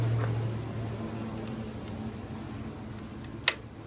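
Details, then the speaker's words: Honda GX690 engine that wouldn't start, key turned: over a distant droning hum, one short sharp click from the carburetor fuel cutoff solenoid opening to release fuel; normal click, replacing the solenoid fixed the no-start. "you hear that little click that's not from the key that's from this little piece right here that opens up and releases gas into the carburetor"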